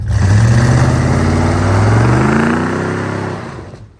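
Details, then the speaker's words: 1988 Chevy truck 5.7 TBI V8 during tune-up: revs up and settles with a raspy, puffing exhaust note; exhaust needs fixing, possibly a leak (not confirmed). "definitely gonna have to fix that exhaust because that's going to be a pain in their butt"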